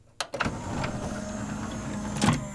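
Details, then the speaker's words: CLD-M301 laserdisc player with 5-disc changer: click, then smooth steady motor whirr settling into even low hum with faint ticks; normal disc spin-up and laser tracking. "[disc is now at speed, laser tracking sounds] We now have a picture."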